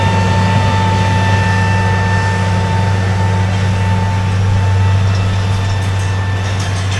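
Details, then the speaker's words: Farm diesel running older swapped-in injectors, now warmed up: smooth even drone at steady speed with no misfire or spitting and no heavy smoke, after an initially rough idle; normal running. "these old injectors are actually running pretty good it was kind of spitting and puffing a little bit at the beginning but now it's just it's clean"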